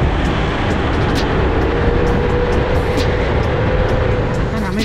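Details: Loud, steady rushing fan roar that never eases off, from a fan clutch overfilled with fluid and staying locked.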